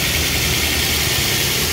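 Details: Daihatsu Luxio/Gran Max, cold engine, being checked after an overheating complaint where the radiator and hoses stayed cold and air in the cooling system was suspected: steady, even idle hum with no knocks, misses or dips. It is idling smoothly.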